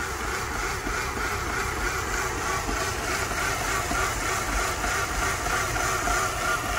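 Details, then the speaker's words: 2005 Mercedes CLK 320 idling in drive with parking brake on, recorded under the hood: uneven, lumpy idle with a faint light knock; car rocks only when stopped, not while driving, and A/C on full nearly stops it; cause undiagnosed. "does sound like there's a bit of a knocking"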